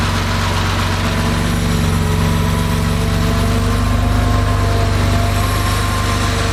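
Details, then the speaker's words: Rebuilt Porsche 2.7 L CIS-injected engine, hot start after sitting about 20 minutes: fired without throttle after a couple of cranks, warm idle with a steady, deep, even beat, no stumbling or hunting; healthy. "okay so our engine started right up uh didn't need any throttle which it shouldn't do if all your settings are correct"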